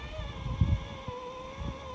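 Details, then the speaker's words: Celestron CGEM II equatorial mount before hypertune, motors and bearings later replaced: steady high slewing motor whine with irregular low thumps, drive labouring against a very stiff axis. "so here you'll see that uh this is kind of what I encountered definitely sounds we don't want to be hear"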